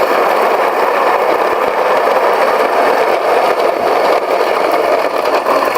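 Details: Mockmill 100/200 grain mill during fineness calibration, stones set to a coarse gap: even, gritty grinding hiss with a light rattle holds steady, mill cracking grain normally into coarse meal.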